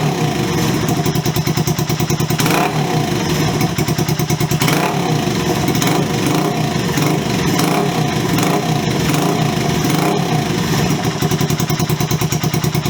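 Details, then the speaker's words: Honda CB125S single with new aftermarket Wemoto exhaust, idling and blipping: sharp, loud popping bark on every firing pulse, almost like it's unbaffled; excessively loud aftermarket exhaust. "I'll be honest, I don't like it, and I don't say that lightly. It's just too loud. It's almost like it's unbaffled. It's got a really sharp bark to it"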